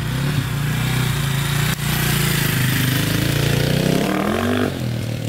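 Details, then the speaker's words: 2002 KTM 400 EXC single-cylinder dirt bike, warmed up, first test ride: revs unevenly, climbs briefly, then sags and stumbles instead of pulling cleanly, almost like hitting the rev limiter right away; bogging under throttle, cause unknown. "kind of bogging down a little bit i don't know what's going on with it it's kind of weird"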